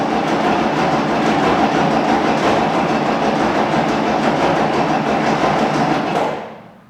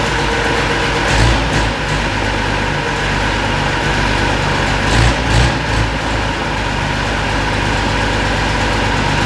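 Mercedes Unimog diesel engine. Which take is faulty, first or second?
first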